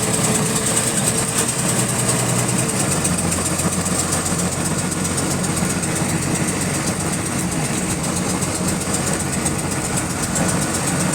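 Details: Bus GAL WVL358 on route 486, diesel engine at idle: fast, steady repetitive clicking in sync with engine speed; cause unknown.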